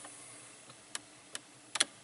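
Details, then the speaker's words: 2004 Ford Explorer 4.0 V6 4WD, 165,000 miles, HVAC no air at dash vents; with engine off, sharp clicks and faint hisses at irregular gaps as vacuum vent actuators still move on stored vacuum until it depletes. "so with the truck off you can actually hear the vacuum actuator is still working so there must be some kind of"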